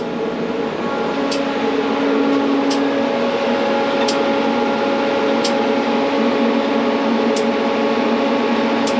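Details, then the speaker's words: FMTV military truck, engine and blower running, ABS modulator valve on the left rear axle being cycled through the modulator test from a DATS ECHO diagnostic tool. Camera moved close: sharp air pops about every 1.5 s as it depressurizes and holds pressure, normal cycling. "And I'm going to move the camera over just so you can hear the modulation."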